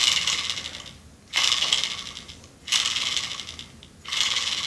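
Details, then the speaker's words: Sealed bearing from a Harley-Davidson Ironhead transmission spun by hand: rattly clicking whir each spin, possibly a damaged ball inside; suspected rough bearing, being replaced. "that click in there something's wrong in there and these are sealed on both sides so you can't really clean it out"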